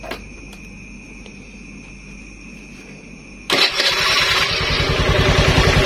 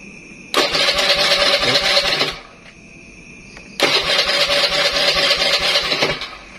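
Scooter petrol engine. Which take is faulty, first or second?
second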